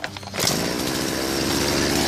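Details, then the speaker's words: BERALA BL-29X chainsaw that wouldn't start, fixed by adding a little fuel, priming and switching on; after a pull it catches and settles into steady even buzzing run, no stumbling or dying. "เปิดสวิตช์นะครับสตาร์ทเลยแค่นี้ก็ติดครับเดี๋ยวเราลองดูอีกทีครับ"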